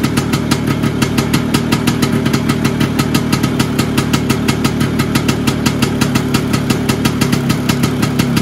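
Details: Vespa PX 125 with 177 kit, restored engine (new bearings, seals, piston, rings, lapped cylinder), 2.5% premix, first start after a year: crisp regular two-stroke popping at steady idle, no rattle, knock or stumble; owner says idle needs adjusting; normal idle.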